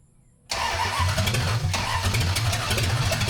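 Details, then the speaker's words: 1974 Dodge Dart Swinger, old unknown small block, after correcting timing that was 180 degrees out: engine catches and runs with an uneven, stumbling beat, then dies; out of fuel. "need more gas in it. Yeah, it's definitely out of go juice."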